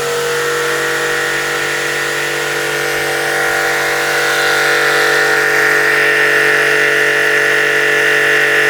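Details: New REAIM RPW 100 Pro pressure washer (1000 W, 15 L/min) at maximum pressure on a 900 W supply: an even motor drone at constant pitch with no knocking or surging. Running healthy.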